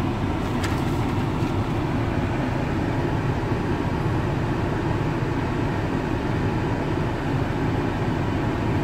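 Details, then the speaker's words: VW Touareg after replacing the noisy A/C compressor and pulley, A/C cold again: steady even engine hum with deep low rumble, no knocks, whines or rattles; earlier noise gone, normal running. "donc vous pouvez pas vous rendre compte sur la photo mais c'est bien froid ici un et le bruit bien sûr n'est plus là"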